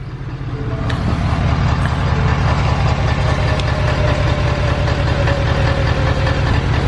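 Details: Ford 6.7 Powerstroke diesel truck idling right after a fuel filter change and air purge: a deep, steady diesel clatter at an even idle, started promptly, with no misses or stumbling; healthy running.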